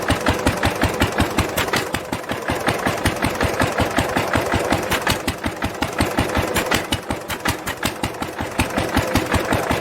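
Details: 1946 International LBBR 3-5 hp hopper-cooled single-cylinder engine after fitting a homemade glasspack muffler, recorded from about the same distance as before. Sharp, even exhaust beats about 160 a minute with a softened tone. Normal running.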